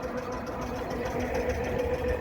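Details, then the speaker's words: 1953 Kelvin J3 33hp three-cylinder diesel narrowboat engine at low revs, shifting into reverse: slow, steady diesel thump with an audible change in drive note as the gearbox takes up reverse smoothly; normal reverse engagement. "Pull that out, then you can go into your reverse gear. Same thing again. And you can hear the change in the drive, and then just, and you can hear it. It's engaging reverse"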